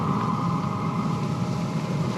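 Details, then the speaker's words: Vevor 5 kW Chinese diesel air heater (Webasto-style) in aluminium case, powered by Ecoflow River at about 110 W: starts at maximum power while heating up; steady low roar, even combustion hum and fan whir, no surging or popping; normal. "Il démarre à puissance maximum le temps de chauffer. Et une fois qu'il a chauffé, il vient se mettre à la consigne qu'on lui donne, donc soit en degrés, soit en hertz."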